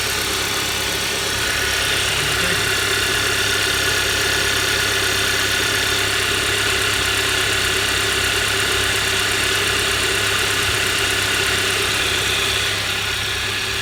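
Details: 2011 Hyundai Sonata, high mileage, after a cheap repair of a spun #1 rod bearing caused by running out of oil (journal polished with 400-grit, new bearing fitted), warm after ten minutes running: even, smooth idle with no knock; engine sounds healthy.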